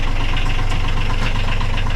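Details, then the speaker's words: Sailboat diesel idling with an even, steady low thump, no knocks or hunting, after a full rebuild. The fuel pump, installed slightly out, was corrected by an engine builder. Normal healthy idle, no smoke. "he took that back out and rectified that situation and uh there now run it there it is"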